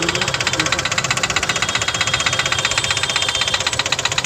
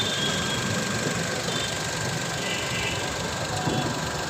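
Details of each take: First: CNG-fitted car engine at idle gives sharp, fast, very regular loud metallic tapping; debris entered cylinder three after a spark plug was removed, marking piston and head; engine knock from debris in cylinder. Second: CNG engine after knocking repair, just restarted: smooth, even idle, steady hum with no tapping or knocking; normal healthy idle.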